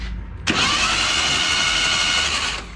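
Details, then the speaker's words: Junkyard 1977 Datsun 710 wagon with plugs out, cylinders sprayed with Marvel Mystery Oil, PB Blaster and WD-40. Starter spins the engine over fast and even for two seconds with no compression chuffs. Normal cranking. "and when we hit this magic button right here this thing should spin over"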